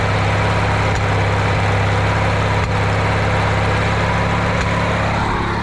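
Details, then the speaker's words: Riding mower with a paint-can lid welded over its backfire-blown muffler, started with the safety unhooked: idle with a slightly ragged beat and faint exhaust pops; the patch still leaks but is much quieter; a self-tapper and metal strap will probably go on it. "Oh well, it's a lot quieter than what it was. But yeah, here now. Oh well, it's not too bad. I'll probably put a self-tapper with a piece of metal strap to fix that part"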